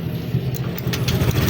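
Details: Honda Click 125 scooter that stalled, after CKP sensor replacement, magneto cleaning and TPS now stable at zero throttle, coolant not yet fitted: engine starts cleanly and settles into a low, steady idle with slight rev rise.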